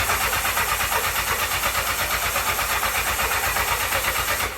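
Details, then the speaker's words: 1984 Honda CB700SC Nighthawk, before carb cleaning, old-smelling gas, throttle tried: steady starter churning about three pulses a second, never fires; crank no start. "okay so um there you saw it I tried twice it will not start so that's where we're starting from"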